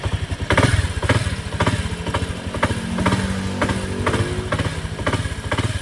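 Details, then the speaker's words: Honda CX110 single-cylinder engine, recently overhauled with new connecting rod, side bearing and cylinder block: heavy metallic clunks about twice a second and loud internal clatter; cause not yet found. "so napakaingay talaga mga kapun pag pinaandar mo So lumalagapak siya"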